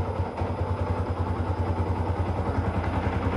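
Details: Yamaha R15 on a stock exhaust, at the workshop after its first oil change in 5 years (only about 100–200 cc of oil was left after long trips): steady single-cylinder idle with an even low thump, about three beats a second, no knocks or rattles; runs healthy.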